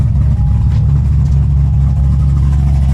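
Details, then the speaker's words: 2006 Corvette Z06 V8, dyno-tuned to about low 500s hp, started after earlier heavy knocking. Now a deep, even idle with chop and clean revs, no knock; the engine sounds healthy. "Hear that chop. No more knocking. Sounds so good, dude."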